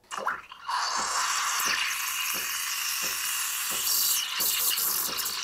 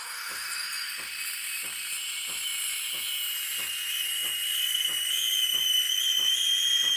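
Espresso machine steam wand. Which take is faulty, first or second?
second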